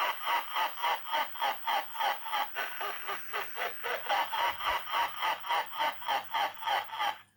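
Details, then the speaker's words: Topstone animated and illuminated Halloween motionette figure, powered on with sound enabled: repeating cackling laugh at about 3.5 bursts per second, dull, fuzzy, distorted and muffled; ghost sound is not muffled; owner suspects a sound IC glitch, unconfirmed. "it makes the classic laugh sound which sounds a bit distorted and muffled but I guess that's just the recording"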